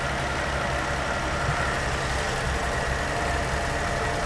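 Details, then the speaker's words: 1980 Dodge D150 truck, just-rebuilt carburetor (main air bleed screw two turns out, float untouched), first start: rough, lumpy idle struggling to stay lit while the bowl may still be filling, needing a little throttle; stumbling idle, likely from fuel starvation. "bowl still might be filling the bowl up it does that it just dies are you on the gas little bit just keep it running like a selling"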